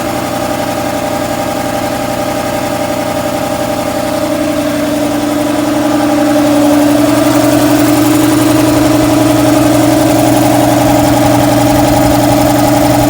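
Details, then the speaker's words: Shop air compressor with a loose drive belt showing excess deflection: the motor hum lags at switch-on, then its pitch climbs and settles after several seconds as the flywheel catches up and the belt stops slipping. The cause is low belt tension. "to get it to where the belt will stop slipping on it and you're gonna hear that just in a sluggish start and then it'll sort of catch up"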